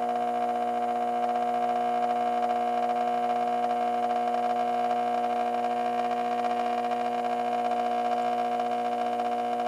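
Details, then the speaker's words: 1986 Carver PM-350 power amplifier on the bench during cooling repairs, with a new fan ducting being fitted: steady loud hum with a strong buzz, no fan noise beneath it; very noisy power transformer humming under load. "very noisy Transformer on this"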